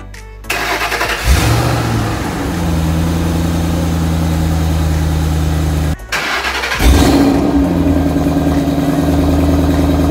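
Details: 2008 Ford Mustang GT Bullitt V8, started after sitting almost 3 weeks with a battery charger connected directly to the battery: two quick cranks that catch promptly, a short rev flare, then a steady even idle with no misses; a healthy start.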